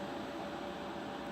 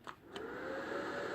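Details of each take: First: Trash-picked IBM/Lenovo ThinkCentre desktop powered on: smooth, even fan whoosh with a constant mid-pitch hum, no ticking, rubbing or grinding; fans running normally. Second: Trash-picked old Lenovo ThinkCentre desktop at power-on, motherboard recently replaced: a couple of clicks then a steady hiss with a thin, slightly rising whine; owner suspects the power supply, not confirmed.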